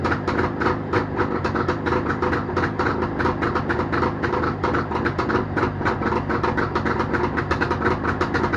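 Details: Jawa motorcycle two-stroke engine started after repair, with a fast, steady, crisp beat holding an even rhythm throughout; normal running.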